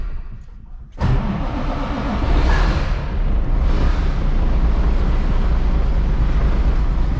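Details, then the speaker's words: 855 diesel, hard to start, cranking many times, given a bump of ether: catches after a moment and settles into a rough, loud low rumble; hard starting possibly from sitting so long. "so and maybe this thing needs ether because it sat for so long and all that stuff"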